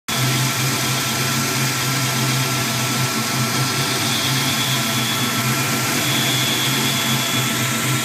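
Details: 1992 Mustang petrol engine at idle: steady airy hiss with thin high whistling tones of constant pitch; owner unsure whether it is a vacuum leak.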